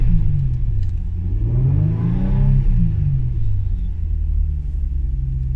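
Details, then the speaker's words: Japanese RWD six-cylinder coupe project car at 264,000 km, revved with the door closed: deep note rises and falls smoothly with no knocks or rattles. Engine runs pretty smooth. "so you can see it's pretty smooth like 264 000ks"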